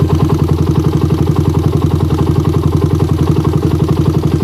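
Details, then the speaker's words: Motorbike with PE PWK/PWL carburettor, warm engine, only the choke changed: on first throttle opening the engine pulses unevenly and the rpm won't settle; weak spring, worn choke piston or bore suspected. "jadi ketika bukaan gas awalnya ini nah RPM Gak stabil tuh Padahal saya hanya rubah cuknya"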